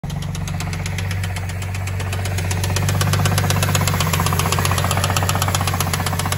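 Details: Cadillac CTS 3.6L V6 at idle: quick, light ticking about four per second over a smooth idle. A bad lifter on the camshaft is suspected, needing replacement; not confirmed.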